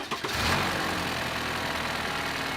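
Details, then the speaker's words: 2014 Chevrolet Impala, over 200,000 miles, smells of gasoline despite a replaced evap canister: brief crank catches at once into an even, steady idle with no misses or knocks, nothing dripping; normal engine start. "starts right up. You don't see gasoline dripping anywhere."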